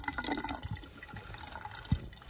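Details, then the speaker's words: Half-inch Watts No. A200 trap primer behind a washing machine wall, malfunctioning: soft steady trickle of running water with a few drips and knocks — trap primer running continuously. "we have a trap primer right here see that right there half inch trap primer and its job is to fill the trap with water so it doesn't dry out"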